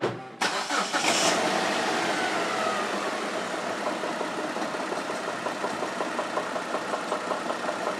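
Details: 2004 Kia Optima 2.4 L engine starting and idling at 1000 rpm with a light, uneven knock repeating roughly every third of a second; source not pinned down.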